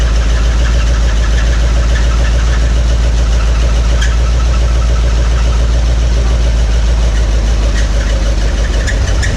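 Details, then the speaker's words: 1961 Mercury Meteor first start in decades after new coil and ignition parts, started on carburetor cleaner: rough idle with steady rapid knocking about twice a second; no oil pressure, oil light on, oil pump shaft under distributor found broken. "But yeah, it ran, but didn't have no oil pressure. I was like, what's all that noise? And it makes sense now. We found that the oil pump shaft under the distributor was broken."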